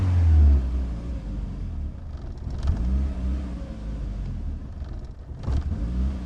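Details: Built project car after base map adjustments and fuel pressure regulator changes, battery going flat: low uneven rumble sagging and surging, never settling; runs rough and won't idle, like a very bad cold start.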